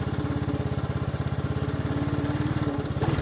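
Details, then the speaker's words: 1984 Honda Big Red 200ES, warmed up after hard-starting trouble: small single-cylinder thumping evenly at steady idle, no knocks or misses; normal idle. "And then once she warms up, it'll idle and idle."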